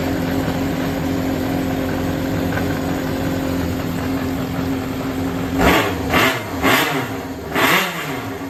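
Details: Yamaha XJR400 (4HM) inline-four complete engine assembly, compression tested, no abnormal noise or white smoke; even steady idle then four quick clean blips rising and falling smoothly, no knocks or rattles; healthy.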